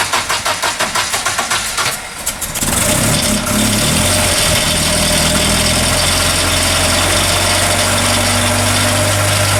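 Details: Restored Land Rover Series 3, completed and about to take its first drive, with a few teething problems still being sorted: about two seconds of quick even cranking, then it fires promptly into a steady idle with no knocks or misses; normal start.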